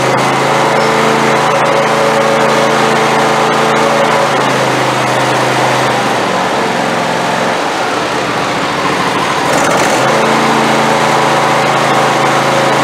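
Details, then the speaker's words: Craftsman YT4000 hydrostatic riding mower, years without oil changes or maintenance: engine runs steady and fairly high, then sags and nearly dies before recovering, won't hold without full choke, fuel starved; owner suspects carburetor idle jet. "Alright guys, so every time I would turn it off and crank it, I would have to give it full choke again. And after it busts off the first time, really you shouldn't even have to use the choke."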